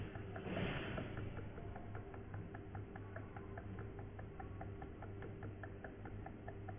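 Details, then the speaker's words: Epson L6170 printer ink tank being refilled from a bottle: soft, fairly regular ticking gurgles about two per second over a low hum as ink flows in, stopping when full; normal filling. "there is a sound coming. Okay, because the ink is getting filled, so sound is coming."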